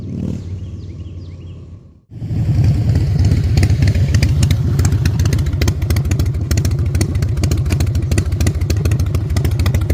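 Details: Salvaged 2000 Harley-Davidson Fat Boy V-twin, after flood restoration from 5 days submerged in Hurricane Ian floodwater: catches after a pause, settles into a deep steady lope with clean blips; finally running and fixed, healthy and even.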